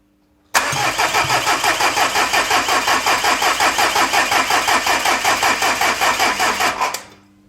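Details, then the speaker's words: Project 16v car cranking slowly on a weak battery even with a charger fitted: slow, labored cranking under three turns a second for six seconds without catching; the engine did not start and the battery was later replaced. "However, there was definitely issues with the battery that I had in here. Had to have a charger fitted even just to get it turning over."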